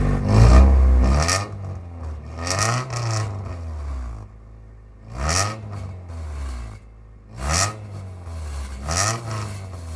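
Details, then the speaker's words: 1996 Honda Civic CX with D-series engine, new cheap eBay exhaust with rear silencer still fitted: idle broken by repeated sharp revs, each a loud raspy roar dropping back quickly; the aftermarket exhaust is simply too loud, though an improvement. "The eBay exhaust sounds just like a cheap eBay exhaust. Who would have known? But somehow it's still an improvement because it sounds like ass out the the back instead of ass."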